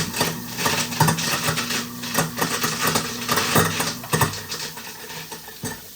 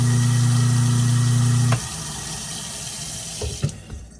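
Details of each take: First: Kitchen garbage disposal switched on with water running: irregular metallic clanking and rattling about twice a second over the motor. Debris (bone pieces) bouncing in the blade assembly; the unit also had an open thermal overload. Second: Kitchen garbage disposal after reassembly, following diagnosis of an open thermal overload and stubborn bone pieces, run with water flowing: a steady low hum, no clanging or rattle, then a clean wind-down. It runs free and healthy, versus the earlier high-pitched clang.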